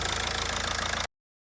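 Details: VW Polo 9N diesel after replacing the G81 fuel temperature sensor (P0183 implausible signal, no start or bad start, power loss): steady even idle clatter with a regular pulse, no stumble or misfire; sounds healthy.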